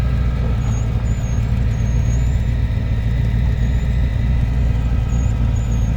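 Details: 1989 Lincoln Town Car V8 idling: loud deep uneven rumble with faint high chirps; exhaust leak, needs fixing.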